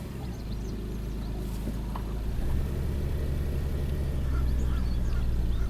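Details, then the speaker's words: 2000 Toyota Sienna, 1MZ V6, 540,446 miles on original drivetrain, P0305: uneven stumbling idle with constant cylinder 5 misfire, counter climbing; injectors suspected, fuel/ignition feed being checked. "now it's a constant misfire you can see number five is counting up right away"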